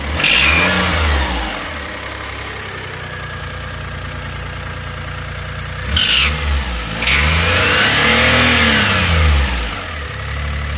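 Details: 2005 Daihatsu Atrai Wagon Custom Turbo R S320G, over 170,000 km; noise worst after restart, fades once warm after 30 minutes; revving brings a sharp raspy chuff growing with throttle: exhaust leak from broken exhaust manifold bolt, fixed by repair.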